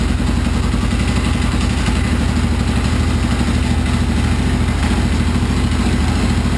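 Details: Husaberg FE650e single-cylinder at idle with uneven metallic clatter on each firing beat from a loose crank gear; fixed by tightening it with Loctite, now runs smooth.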